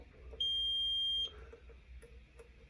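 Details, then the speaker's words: Korad KA3305D bench power supply, channel 2 failed while charging a 12V lead-acid battery: multimeter diode test gives a short steady beep, far from the expected 511 millivolts, suggesting a possibly shorted part. "son of a that's obviously not what it's supposed to be reading that's far from 511 millivolts"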